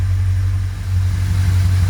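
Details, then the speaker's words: Car at idle, heard from the rear: a steady, loud, deep rumble, louder than normal from a big exhaust leak where part of the exhaust rusted out; mechanically as bought, smooth idle otherwise. "one thing to note back here you may hear that it sound sounds kind of loud there's a really big exhaust leak"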